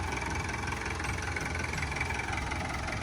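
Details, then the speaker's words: Kubota M9000SU tractor with a 90 hp factory-turbo four-cylinder diesel. Low, even idle chug with no knocks or rattles, described as very quiet and smooth with no smoke; normal diesel idle. "ฟังเสียงเครื่องนะครับเสียงเครื่องเงียบมากครับนิ่มๆเลยครับ"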